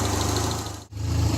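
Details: 1975 Triumph Spitfire after smog removal, valve adjustment, freed distributor, timing set by ear, air box off: warm steady idle stumbles once briefly; slight miss, owner suspects carburetion, carburetor due for rebuild. Slight misfire at idle.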